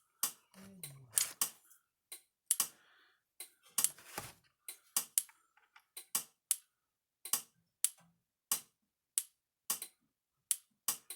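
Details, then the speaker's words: Speedrite 2400 electric fence charger after repair with spliced wiring: sharp dry clicks about once a second, louder than before, light brighter, over 10,000 volts output; normal fence charger pulsing. "That light's a lot brighter than what it was. A little louder clicking sound coming from it too."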